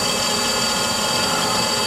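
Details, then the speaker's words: Brown and Sharpe Micromaster 510 surface grinder with Walker permanent magnetic chuck, grinding steel on a spark-out pass: steady, even high-pitched spindle hum with no knocks, surging or grinding; spindle bearings running smooth and healthy. "so i'm gonna go ahead and do a quick grind with this show you the finish of the part and you can hear the spindle bearings"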